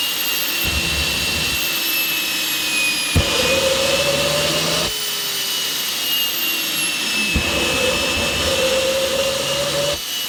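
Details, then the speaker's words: Rover gas turbine, not run for a while, KC-135 pneumatic starter: high whine rises and sags under loud rushing air, never lights off; fails to start, owner suspects electrical fault or high-pressure shut-off valve closing. "well folks that was all a bit disappointing anyway we packed everything away and uh i'll just have to try again the rover unfortunately refused to play ball today"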